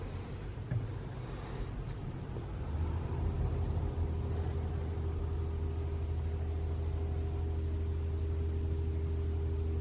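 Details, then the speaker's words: 2021 Toyota RAV4 Prime SE in EV mode at about half battery charge, cabin heating on Auto with AC off: low steady hum rising after a few seconds and holding even, the heat pump compressor running normally without the infamous noise. "no it's fine I can hear it humming it won't make the noise anymore guys"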